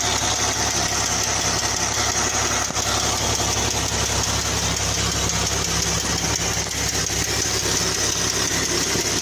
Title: Hydraulic valve lifter tick - Jeep Wrangler 3.6 2014